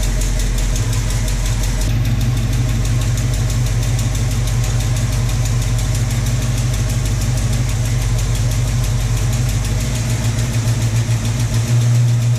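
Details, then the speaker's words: Stock 1966 Ford Mustang coupe, factory 289 V8, 4-speed, idling after repositioning the distributor and setting ignition timing: steady, even smooth low rumble, no misses or knocks; engine sounds healthy and settled. "you can adjust this distributor as you need to and you can hear the motor happier when you've got that timing dialed in a little better"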